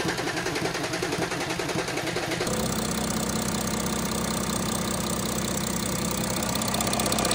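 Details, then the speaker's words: Audi A6 C8 3.0 TDI after camshaft sprocket and related parts replacement for engine noise: starter cranks a couple of seconds to build oil pressure, then diesel settles into steady even idle, noise gone. "okay guys so that's the A6 gone uh the owner was pretty much happy because the noise was all s out so that's fine"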